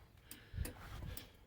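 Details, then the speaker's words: Biscayne after fitting an aftermarket turn signal switch: crisp, even flasher clicks about three a second with the left signal on. Front and rear left turn signals work normally. "i can hear that clicking that's the flasher and we have a left turn signal in the back"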